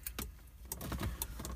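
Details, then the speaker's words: 1997 Jeep Grand Cherokee, door unlocked with key, before disconnecting door/hatch indicator switches: sharp irregular clicks from the alarm module behind the dash in a quiet cab, no horn; alarm triggered. "so we've locked the door i'm gonna unlock it here with the key we come in we can hear it clicking"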